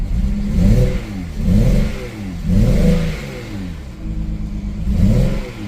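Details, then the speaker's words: 2007 BMW 335xi twin-turbo inline-six, revved after a rough idle: blips up and down sound lumpy, with a beat missing from the rhythm; it is running on five cylinders, one dead, cause not yet found. "Yeah, it's definitely running on 5."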